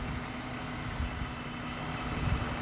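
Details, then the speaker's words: 2010 Ford BF Falcon wagon after water pump replacement and battery reconnect: steady, smooth low hum at idle with no knocks, ticks or squeals; engine purring nicely, normal idle. "And this sounds like it's purring away very nicely."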